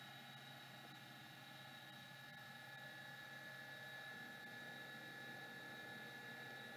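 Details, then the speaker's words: Old hard drive powered up for testing spins up with a quiet, even whir, steady high whine and faint light ticking, no grinding or scraping; sounds like it's working, normal spin. "it sure sounds like it's working"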